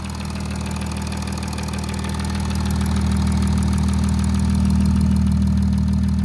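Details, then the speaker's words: Audi A8 3.0 TDI diesel, about 30K and 6 years old: fast, regular, light high-frequency tapping over the idle from bank 1, cylinders 1–3, steady with revs; worn cam sprockets and slack timing chain. "There's a tapping noise, high frequency tapping noise coming from this side."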